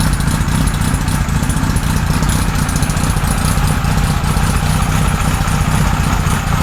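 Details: 1978 Kawasaki Z1-R four-cylinder on the stand after re-jetting (20 and 117.5) and re-syncing carbs on a Carbtune Pro: smooth, even idle with steady low burble, no hunting or stumbling; normal, well-balanced idle.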